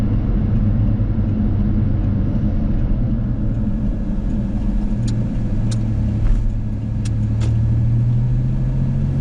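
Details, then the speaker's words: Small work truck driving with the AC switched off: smooth, even low rumble with no knocks or rattles, running quietly; a faint steady supercharger-like whine under the hood has always been there, owner thinks it's the AC pump. "Turn the AC off, and you can really hear how quiet the truck is now."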